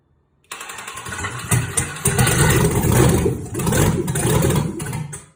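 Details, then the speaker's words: 1962 Chevy C10 with 5.3 LS swap, redone cams and 4L60E, first start after the engine sat built almost three years on a stand; catches quickly then choppy, lumpy idle with a few blips; starts and keeps running. "it's the very first start of this motor this motor's been sitting built for like almost three years on a stand"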